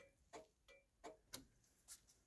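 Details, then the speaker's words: 1966 Chrysler New Yorker, ignition on: soft, regular ticking about every 0.7 seconds keeps going with the stalk back in the centre off position; turn signal switch not cancelling, flasher stuck on. "now I'll just move that back up to off there it is and she's still going now if I turn it up to turn right she's gone back down to the middle still off now that's in the middle still going"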